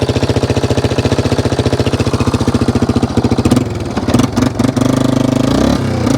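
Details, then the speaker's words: 1995 Yamaha Wolverine 350 ATV at steady mid/half throttle: single-cylinder thumping breaks up and stutters, getting too much fuel; idle and full revs fine; owner may drop the carburetor needle about one notch. "when you really rev it she seems good but when you're like mid throttle half throttle it's definitely putting too much gas into the system"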